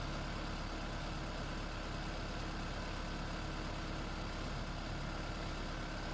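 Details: Freshly swapped 2016 4th-gen engine in a 2012 Prius V, just after first start, running in maintenance mode on jack stands before coolant air purge: a steady, even low idle with an unbroken hum and no knocks or misses; a normal idle.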